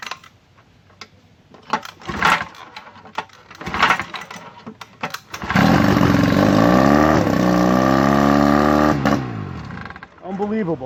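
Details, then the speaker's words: 1959 Johnson QD-20 10 hp outboard, first start attempt without a water supply after cleaning the points and plugs (new coils found): a few scattered pulls, then it catches and buzzes evenly about four seconds before shutting down; starts and runs fine. "first time it's ever run i thought it wasn't not gonna start. Getting ready to say i'll run it again at a different time. That's fantastic...."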